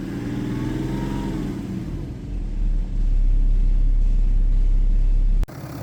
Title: BMW N57 rod knock (F11 530xd 2011 @ 367 000km)